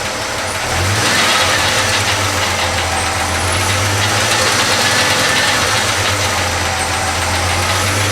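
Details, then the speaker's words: Chevy C10 pickup V8 after a full wiring harness replacement, first start: loud idle with a thin high belt squeal and fast light ticking from rocker arms needing adjustment, likely on cylinder 5 or 6. "it needs a little bit of tune-up you can hear the belts squeaking a little bit I gotta I know I've got a couple rocker arms that need to be adjusted"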